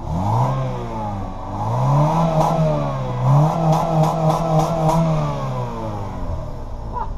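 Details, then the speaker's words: Honda Civic four-cylinder with its muffler temporarily duct-taped on: revs rise and fall cleanly with a muted exhaust and no blowing or rattle; the muffler works, though the engine won't rev past 5,000. "he took a muffler on go to the Civic except it's duct taped on and it [ __ ] works it works my duct tape skills worked as quiet as hell"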